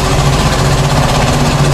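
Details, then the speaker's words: Suzuki 2.5 hp outboard after replacing the broken recoil starter rope; steady, even buzzing run with no misses, knocks or rattles; healthy normal running. "अशी video अशी engine चालू करतो. मित्रांनो बघा, ही अशी इंजिनची technique असते."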